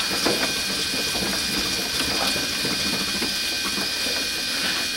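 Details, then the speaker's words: Power case trimmer cutting 5.56 military brass to length: high steady motor whine with rough, irregular chattering clicks while cutting, turning smooth once the case is trimmed. "might even be able to hear that kind of chattering as it's cutting it down once it sounds all smooth it is"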